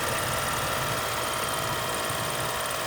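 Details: 2013 BMW X5 with the engine running: a steady, even buzz with a fixed high hum comes from under the hood whenever the A/C or heat blower runs.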